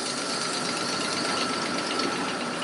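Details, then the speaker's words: 2009 Toyota Tacoma 4.0L V6 with misfires on cylinders 2, 4 and 6, later traced to a restricted exhaust (clogged cat) on bank 2. At idle with a back-pressure gauge at bank 1 sensor 1: busy, hissy clatter with a steady high whistle. Unusual new engine noise. "so that is an idol i hear a noise in the engine that i don't hear before i don't want to keep this engine running too much"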